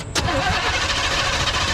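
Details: Abandoned 1974 Chevy C10 dump truck during compression test, throttle held wide open, plugs out: starter turns engine evenly for about two seconds without dragging; even compression, cylinders reading about 150–160 psi.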